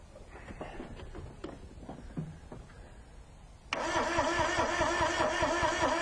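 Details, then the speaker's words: Carbureted car, cranking no-start: slow laboured cranking about two and a half turns a second, never firing; battery very weak, fuel supply next to be checked. "all right stop okay as you can hear the battery's really weak it's not even trying to start"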